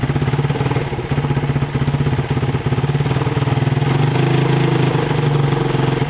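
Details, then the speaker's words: Suzuki Satria FU 150cc carburetted motorcycle, carburettor fine: regular single-cylinder beat dropping out in brief gaps as throttle opens; misfire from loose ignition coil connector, before tightening. "setelah kita cek Tadi masih brebet ya teman-teman ternyata untuk soket ini masih kurang rapat ya kita Kencangkan kembali ya teman-teman ini agak longgar ya"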